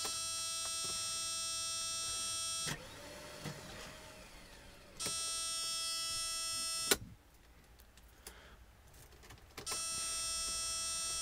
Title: Won't start